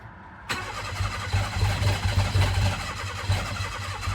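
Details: Mira after fuel pump and wiring work, no longer blowing fuse: starter engages, uneven stumbling firing never settling; owner suspects insufficient fuel delivery.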